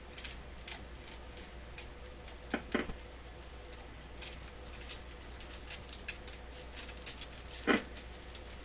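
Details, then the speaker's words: PYE Columbia Stereo 360 amplifier under noisy fault troubleshooting: faint scattered crackles and sharp pops over a quiet hum, flaring each time the circuit board is moved; a cold solder joint on the board is suspected, not confirmed; intermittent crackling. "So see, every time the board moves, it makes that sound. It's got to be this blunt."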